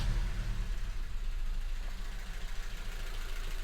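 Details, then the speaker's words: 2016 Honda Civic, 1.5 petrol, idling lumpy and uneven with a misfire on cylinder 3 (P0303); the misfire stays on cylinder 3 after the coils from cylinders 1 and 3 are swapped. "So the car is still clearly misfiring. Let's see if our code's moved."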